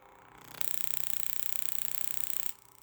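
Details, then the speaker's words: Arduino boost control on a 2008 Audi RS4 with a rear-mounted turbo. The MAC valve solenoid is switched through a MOSFET at about 30 Hz PWM while a potentiometer is rolled up. Rapid, even buzzing starts and stops cleanly: the solenoid is cycling normally. "So as I roll up this potentiometer, you'll hear the MAC valve come online with a PWM pulse control."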